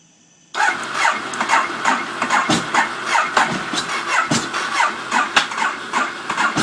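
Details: Ducati 848 cranking: rapid uneven starter chatter with a rough, lumpy rhythm that never settles into an idle; the bike cranks hard but won't catch; hard starting.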